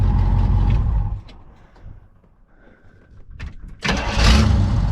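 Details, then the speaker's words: Pontiac V8 with rebuilt Holley carburetor, after timing was set (previously very retarded): shuts off and restarts easily with strong rumble; old alternator grinding from bearing issues. "There you go. Starts up, easy as."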